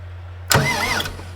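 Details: Ford 5000 tractor swapped from its original 4-cylinder to a Ford Brazilian 7.8 six-cylinder turbo diesel from an L8000, first starter test after the swap: a brief, crisp half-second starter whir that engages cleanly, with no grinding or clicking; starter healthy.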